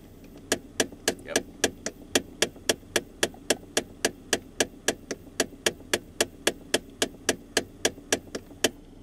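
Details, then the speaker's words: 2015 Ford Fiesta, climate control actuator behind glove box, glove box open; sharp, even clicks about four per second with nothing else running; failed actuator skipping gears. "this one is located behind the glove box so we have to remove the glove box you'll actually hear it a lot clearer now that the glove box is open"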